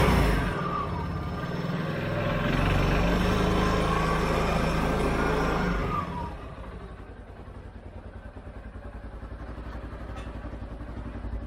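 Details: 2013 CFMOTO Z Force 6 after a fuel pump change, with 45 PSI and the filter primed but the tank probably low on fuel: engine catches and settles into a steady, even beat of about four pulses a second with no misses; running cleanly.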